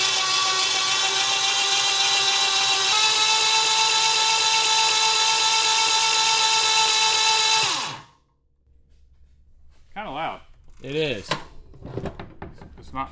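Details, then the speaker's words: Retired military generator engine (4A032 four-cylinder or 2A016 two-cylinder), jumper-started with no spark plugs fitted: loud steady starter whir for about eight seconds, then it cuts. This is how fast it turns over without plugs; the engine is still freeing up. "yeah it's uh that's how fast it turns over with no spark plugs in it"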